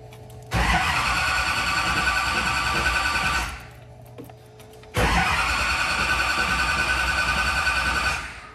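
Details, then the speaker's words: Newly built SoCal Diesel twin-turbo 1,000hp Duramax diesel at first fire-up: two long cranking spells of about three seconds, never catches; it came close to firing, owner thought maybe air still in the system; cause unconfirmed. "I don't know how much of this was normal and how much of it was because we had some uh unforeseen circumstances that were going on but uh yeah we sat there clicking that thing over a lot more times"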